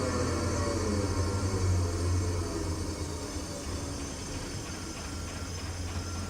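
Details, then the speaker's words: Potain MDT 219 tower crane slewing drive slowing down: deep gear growl fades as the lever is let off back to the first step, leaving a steady pump whir; normal slewing drive. "And when you get down to where you're in like the first step, you can't really hear the gears growling anymore, but you can hear that pump kind of turning in there."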